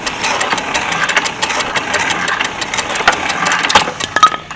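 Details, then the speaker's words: Power hacksaw, likely Chinese-made and heavily rusted, with a Northern motor on a homemade pipe stand, freshly oiled, running under power with a steady motor and quick, even blade-stroke ticks, no grinding or knocking; cuts normally. "If you turn it on, we'll see if it cuts its way through and turns itself off."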